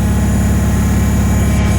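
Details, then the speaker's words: Bolens HT-23 garden tractor small engine after new coil and condenser, running steady and even with no misses or knocks; it was a coil again, now fixed and running good. "well yeah she's fixed so I never pushed her heart or anything but yeah she runs good now uh I guess uh it was a coil again"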